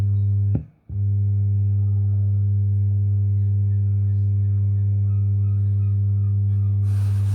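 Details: Mackie CR4 Creative Reference multimedia monitors: a loud, steady low hum with a buzzy edge that cuts out briefly, then returns unchanged; speaker buzz, cause unknown.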